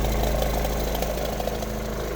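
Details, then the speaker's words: Engine at idle with a dull, uneven knock under the exhaust rumble; owner hopes it is not rod knock and suspects an exhaust leak, loose plastic part, bad bearing or bad pulley; source unclear. "I'm really hoping this isn't a rod knock noise. Like, I'm hoping it's just exhaust or something, some plastic part that's loose."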